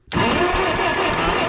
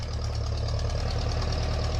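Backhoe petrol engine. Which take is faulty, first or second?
first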